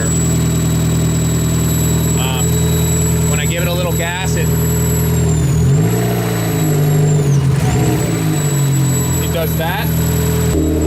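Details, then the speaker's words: Car at idle with throttle blips: thin high-pitched whine bending in pitch with revs; owner suspects the alternator, though replacing it did not fix the problem. "I don't know if you hear that no the cameras picking it up but I am almost sure that that noise high-pitched noise is coming from the alternator"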